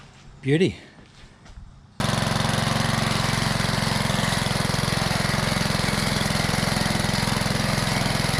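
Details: Old Rover lawn mower, first start after sitting over 10 years, with the primer bulb refitted and primed: a brief whirr, then the small engine catches and settles into a steady, even putter at constant speed; running healthy.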